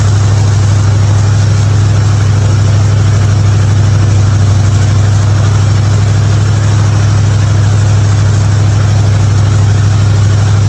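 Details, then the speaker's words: '55 Chevy hotrod, long-sitting car, after a spark plug change for popping: deep, steady rumble holding an even rhythm, no misses or knocks. "But this was idling good, and I'm happy. It's not popping no more."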